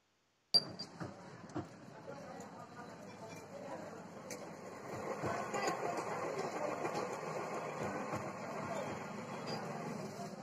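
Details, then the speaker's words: Usha ceiling fan reported not turning, spun slowly by hand: dry, uneven, heavy rumbling scrape with scattered clicks as it spins, worn bearings needing replacement. "Noise అయితే చాలా హెవీగా వస్తుంది."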